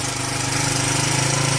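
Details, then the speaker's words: 41-year-old imported Honda XL125S single-cylinder running after a brand-new carb was swapped on from another bike; rapid, even popping with no misses or stumbles, now running right. "Now it's right. We can hopefully sound so much better now. There we go."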